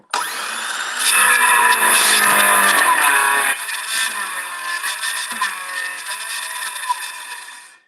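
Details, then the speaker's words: Power saw cutting: a high whine that sags in pitch and turns rougher partway through as the blade drags and pushes back. The saw is binding, possibly from a twisted or dull blade. "it's binding so and i can feel it trying to push back on me"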